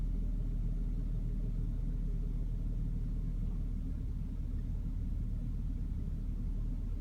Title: Bmw e60 530i n53b30 rough idle, then MIL